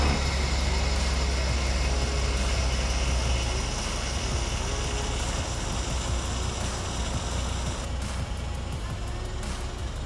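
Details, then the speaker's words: 1998 Nissan R34 Skyline GT-R after power steering rack rebuild, first start while bleeding the system: engine idles with a thin, wavering squeak; power steering pump squealing from running out of fluid, with air bleeding out. "all right so there's a bit of squeaking there as the pum obviously ran out of uh fluid but sounds like it's bleeding a lot of air coming out through there"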